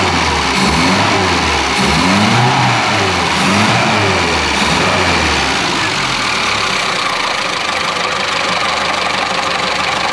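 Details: Classic Mini Clubman Estate, not yet at temperature, choke off: after the carb top/dashpot was cleaned with brake cleaner, the engine settles into a steady, even idle after early revving, with no stumble or hunting.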